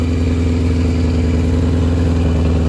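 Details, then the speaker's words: Barn-find 1982 Yamaha Maxim 750 or 1983 Honda Shadow on choke, fed from an auxiliary fuel tank because the main tank is suspected of not venting. Deep, steady exhaust beat with no misses: normal running on all cylinders. "But she has no problem running on all cylinders. Sounds good, looks good."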